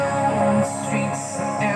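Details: Dolphin Sound DS5A speaker, still under warranty, before repair: music rough and hoarse (serak, not sember), notes fuzzy and gritty; cause a leaking capacitor, NE5532 op-amp ICs also suspected.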